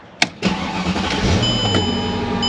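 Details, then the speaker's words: 2006 Mercedes CLS 500 revived after sitting, about 605 days overdue for maintenance: short crank, catches and settles into a steady, even idle; normal start and idle. "As you can hear it is running. This is a nice car, and they'll get it back on the road here."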